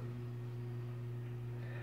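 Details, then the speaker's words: 40 cm mains fan with a 2.5 µF 400 V run capacitor, tested through a bench lamp: a steady hum as the motor buzzes but won't start on its own. It runs only when pushed by hand, in either direction. The run capacitor has failed. "ele não parte quando a gente dá auxílio com a mão ele funciona"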